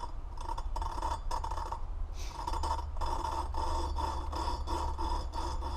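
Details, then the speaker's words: Honda 400EX cylinder head, new valve being lapped by hand with a rubber hose: rhythmic gritty rasping strokes, about two a second, starting to smooth out; the valve and seat are not yet mated, and lapping continues for proper compression. "want to go back and forth and you want to do it until you don't hear that real gritty grinding sound see it's starting to sound like it's getting a little bit smoother"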